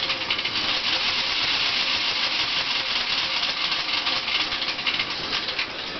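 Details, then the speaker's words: 1987 Dodge Daytona EV with EVTV Green WarP 9" DC motor, idling in neutral, parking brake on: harsh hissy grinding with uneven scraping; owner suspects brush chunks or thrown balancing clay loose inside motor, car still drives. "So, I don't know much, but I know that doesn't sound good. Um, ironically, the car still moves under its own power pretty well, but I'm guessing there's chunks of brushes or maybe it threw more uh balancing clay or something flying around in the motor making horrible noises."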